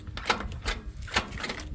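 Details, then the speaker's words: Tractor in second gear won't crank after seven or eight start attempts in reverse and forward gears; starter gives only faint irregular clicks and the engine doesn't turn over. Owner says the battery isn't taking load. Starter clicking, not cranking. "बस इतनी सी आवाज कर र है second gear में तो भाई self नहीं ले रहा ट्रैक्टर बैटरी लोड ही नहीं ले रही यार"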